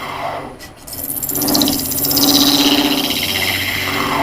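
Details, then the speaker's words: Wood lathe hollowing a multi-layer resin casting with Easy Wood Tools hollower, tool set slightly low; rough rasping scrape with fast flutter about four per second and wavering high ring; tool chatter vibration, turner raises tool and checks lathe tightness. "And you can hear some of that vibration. I think I'm going to raise that up just a fuzz more. Matter of fact, you can even see the chatter right there from the vibration."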